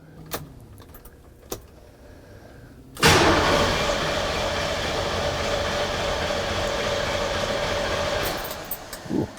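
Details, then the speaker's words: Truck after an intake manifold modification adding a heater port, with the fuel pressure sensor and TPS connectors accidentally swapped because they are identical. Starter cranks steadily for about five seconds but the engine never catches; crank, no start. "that's not starting let's find out why i figured it out i switched to the connectors apparently the connectors for the fuel pressure sensor and the tps are the same"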